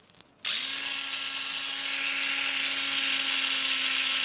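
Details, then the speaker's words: Tamiya Mini 4WD MA chassis, transmission freshly oiled and gears being broken in, held up to the mic: motor spins up in half a second to a steady, even whine with no clicks or rough spots; gears mesh smoothly. "I don't know if you can hear that, but that is pretty smooth. Here I'm holding up to my mic."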